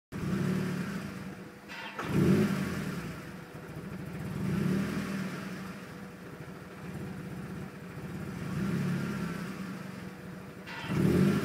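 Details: 2001 Mazda Miata LS at standstill, 10-year-old battery and timing belt; idle rises and sags every two to three seconds, sometimes stalls, about 20% of the time; cause failed MAF sensor plus vacuum leak at drilled IAT relocation hole in intake pipe, fixed by replacing MAF and sealing.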